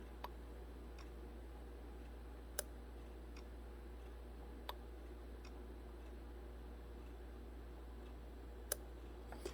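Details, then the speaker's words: 2006 Honda Civic automatic with AC not working and compressor clutch not engaging; engine off, AC clutch relay toggled by scan tool: sharp, crisp single clicks a couple of seconds apart in a quiet room, so the relay switches on and off normally. "And continue to toggle the state of the AC clutch relay. So that relay is clicking on and off."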